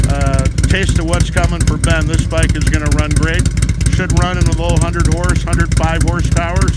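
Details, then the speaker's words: 2006 Harley-Davidson Ultra Classic with S&S 100-inch big bore kit, cams and TechnoResearch tune: deep, loping, choppy idle about two beats a second; normal bumpy idle from the added compression and cams. "we hear the bumpy idle that's what they sound like when you add a little bit of compression and change the can"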